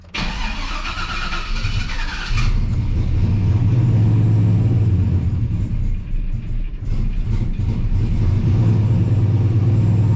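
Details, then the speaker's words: Turbocharged Chevy Silverado with Holley Dominator EFI, running badly before tuning, battery having just died, engine slightly warm: starter whirs over two seconds before catching into a rough, uneven idle; hard start, cause unconfirmed. "all right that's not quite what i was expecting but again based off how bad this ran i figured we were gonna have to do some out of the ordinary type of stuff"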